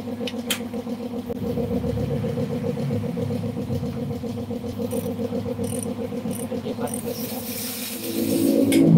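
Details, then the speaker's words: Yamaha Jupiter Z motorcycle: steady knocking about four times a second at idle, rising with revs; connecting rod (big-end) knock, though some might mistake it for clutch noise. "ada satu unit jupiter-z yang bunyinya itu kalian udah denger tadi di awal dan itu gejala suara dari stang seher nya jadi ada beberapa yang berpikir mungkin itu suara kopling"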